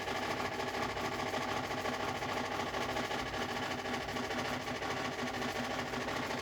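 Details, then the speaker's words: Newly installed Frigidaire Gallery FGHB2868TF7 refrigerator: loud, steady droning hum with a busy rattly texture, like a tractor in the kitchen; running far too loud. "first of all the huge noise level it's it works like a tractor so if you want a tractor in your kitchen go ahead and buy frigidaire"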